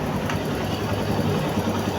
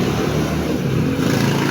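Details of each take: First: Barako motorcycle after engine refresh with rebored block, done because it smoked and used oil: low, even idle rumble with no tapping or knocking. Engine now quiet, unlike when it arrived. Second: Barako motorcycle engine running before refresh: loud, rough mechanical clatter steady under the exhaust note, whole bike seeming to shake. Mechanic traced it partly to a worn gear on that side of the engine; replacing the gear should restore normal sound. Earlier shop blamed the crankshaft.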